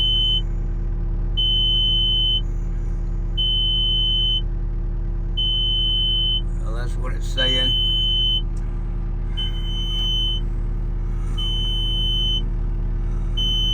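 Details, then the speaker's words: 289D3 skid steer with low charging-system voltage: steady beep about every two seconds over diesel idle as it displays a low-voltage code and shuts down; slow cranking, alternator test also shuts it down; cause not yet found. "the uh when I'm cranking the vehicle up to uh use it at uh saying low voltage system low voltage and uh saying systems low voltage and shutting down."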